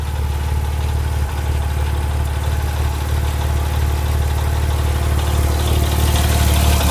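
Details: Porsche 997 Turbo Mk1 at warm idle with warm oil: a light, steady tick, roughly four per second, riding over the engine; the source of the tick is unknown.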